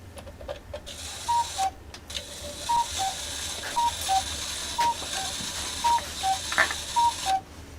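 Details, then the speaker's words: Old cuckoo clock whose winding chain pulls out under weight with nothing turning; irregular clicking ratchet with paired cuckoo-like tones about once a second; gears try to move but catch and slip, cause unknown (misadjusted or worn). "so you can see that thing trying the gears are trying to move this is where the pendulum goes that rocks back and forth"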